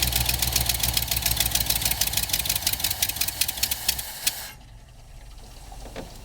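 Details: 1973 Ford Bronco with a Motorcraft carburetor on a cold start: an uneven, fast-pulsing run that cuts out after about four seconds. The engine starts then dies because the choke pull-off opens the choke too far, letting in too much air when cold.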